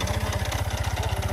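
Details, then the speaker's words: Kymco KRV scooter at idle, loud rapid even knocking from the engine side; owner unsure whether the bendix (starter drive) or tensioner, bendix to be replaced first. "So yan mga idol oh kung naririnig niyo po yung ating intro ' ba napakaingay po yung Bendx natin. Hindi po natin sure kung bendix ba talaga or tensioner."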